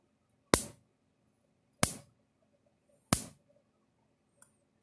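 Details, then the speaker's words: Older Universal 6000 solid-state electric fence controller on 6 volt supply, after repair: sharp snapping spark-jump clicks about every second and a bit, evenly spaced; small but adequate spark, normal pulsing. "we'll do a little spark jump to show you the spark which is not very big but big enough"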